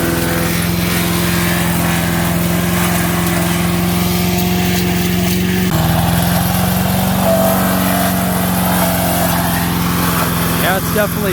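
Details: MTD 5 HP chipper/shredder, after carburetor kit repair, chipping a branch pile: single-cylinder drone dips briefly as branches load it, then recovers without missing; running well under load.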